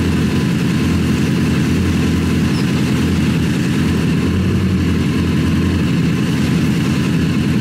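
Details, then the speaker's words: Rebuilt Honda CBR 1000 buggy engine after major cylinder damage, reassembled, clutch and gears checked. Deep, steady rumble at constant speed, smooth and even, no knocks or rattles; running healthy, best it has sounded. "this thing has a really big deep Rumble to it which is uh it sounds like it sounds the best it's ever been"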